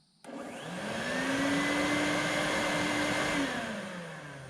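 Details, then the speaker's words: 6-amp power tool with heavy startup surge run from a BLUETTI EB70 power station: motor whirs up, hangs strained about two seconds, then sags and winds down; inverter can't handle the surge, so close, bigger model needed. "Almost, you can tell it's so close. This is where a bigger model would really help you run tools like this."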